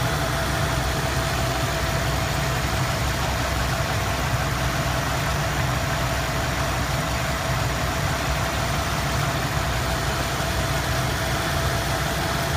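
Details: Rough uneven idle with faint knocking lumpiness: misfire of unknown cause; codes scanned, cylinder balance test passed all cylinders; cap, rotor, plugs, wires, coil and temp sensor already replaced, timing set.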